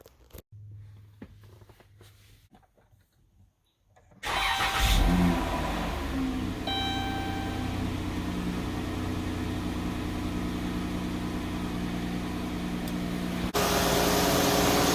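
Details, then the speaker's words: 2016 Chrysler Town and Country minivan, 3.6L Pentastar V6, following replacement of all rocker arms and lifters to cure a tick: smooth, even, quiet idle with a steady hum and no ticking. Normal idle after repair. "well already it sounds super quiet so the van's been running for about 20 minutes now it's warmed up still no ticking and also i noticed it just seems to be running smoother and quieter"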